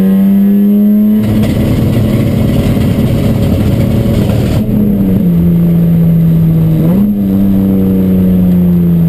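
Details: Chumpcar race car on track at Watkins Glen, where the misfire began midday Saturday. A strong engine note rising and falling with throttle, with uneven rough patches under load: misfire, cause unknown.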